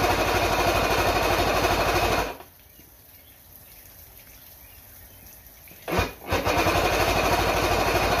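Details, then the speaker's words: Mercury L4 two-stroke outboard on a stand, battery hooked up, after repair of a snapped main jet nozzle (stator and trigger still test faulty): catches first try and settles into a steady, even buzzing run; normal start and idle. "all right i'm gonna fire it up let's see if it talks on the first first turn that's what i like to see all right"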